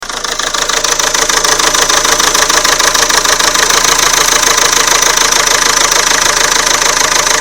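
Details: Renault Scenic 2 1.9 dCi, cold start after sitting overnight: sharp, very regular metallic knocking about three per second over diesel idle; owner first suspected injector but thinks not; engine knock, source unknown.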